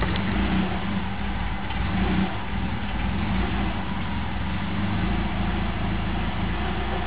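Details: 1998 Subaru Forester, cold morning start and idle in traffic after about a mile; idle speed drifts up and down, unstable; fixed by cleaning the idle air control valve, mass airflow sensor and throttle body and lubricating the accelerator cable.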